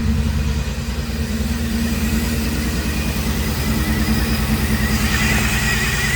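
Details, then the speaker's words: 1990 Pontiac 6000 SE AWD sat 20+ years, warming up to temperature with oil pressure and charging: uneven loping idle, stumbling about three pulses a second with hiss; runs rough from vacuum leak, lower intake gaskets left off. "It's coming up to temp. It runs like crap just because it has a vacuum leak."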